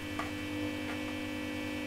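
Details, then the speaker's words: Marshall Valvestate S80 guitar amp with the reverb tank disconnected and hanging loose: steady low mains hum with faint ticks that rises as reverb is turned up and disappears when turned down. "ah the hum was the reverb so if you have a listen look the reverb of course is disconnected it's hanging out over here so turn the reverb up"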